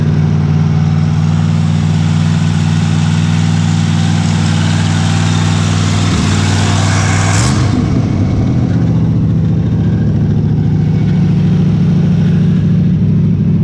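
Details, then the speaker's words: 1964 Chevy Impala SS Convertible fed from a gas jug, which had run 15 minutes earlier: runs low and lumpy, stumbles and sags on throttle, then recovers roughly; owner suspects nearly out of gas or hose not reaching the fuel. "oh come on man this thing running for 15 minutes earlier and now it wants to be stupid"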